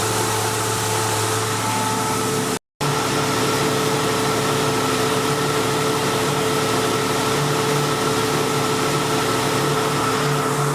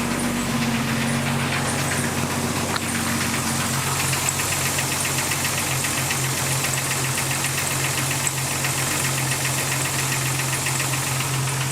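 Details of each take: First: 1999 Jeep Cherokee Sport at steady idle with AC on max after PB Blaster applied to the AC compressor, the squeak's source: even hum and faint whine, startup squeak gone. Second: 1999 Jeep Cherokee Sport at idle: fast cricket-like chirping squeak, about four a second, from the AC compressor rather than the belt.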